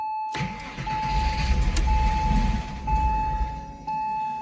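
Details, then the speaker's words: Porsche Boxster 986 after fuel filter replacement: starter churns in uneven pulses, about three and a half a second, with a steady chime over it, and the engine never catches; the fuel lines still need to fill; extended cranking without start. "alright. Gotta fill those lines up with fuel."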